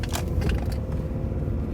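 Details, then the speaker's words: 2006 Nissan Altima after misfire fix, driving: steady, even engine rumble with no jolting, stumble or missing beat and more power than before; check engine light no longer flashing, running smoothly on all cylinders. "Oh much better no more jolting oh wow it's got a lot more power than before that's for sure"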